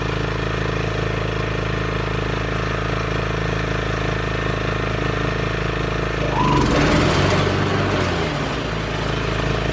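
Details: Craftsman LT 1500 lawn tractor after PTO cable replacement: small single runs with a steady putter, bogs briefly as the blades engage, then recovers; blade drive works.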